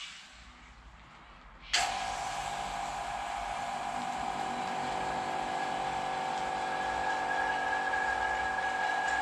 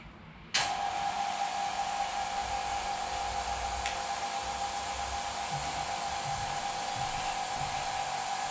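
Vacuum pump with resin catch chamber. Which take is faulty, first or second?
second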